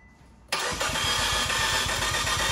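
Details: 2015 Fiat 500C Abarth MultiAir, sat a month in hot Texas July: starter spins at an even quick beat, engine not catching, gas pedal floored to re-prime; long crank from oil drained out of the MultiAir unit.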